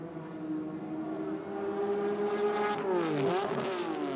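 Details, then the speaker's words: 1981 BMW 635CSI touring car racing at Adelaide International Raceway: the hard-revving engine note drops and flares unevenly mid-shift, then picks up again. The driver missed a gear, apparently fourth, and signalled the pit crew about trouble selecting gears. "Yeah, missed the gear again. Alan Grice is holding up his fingers to his pit crew. I think he's trying to indicate that he's having trouble selecting a gear. It appears to be 4th gear from where he missed that gear."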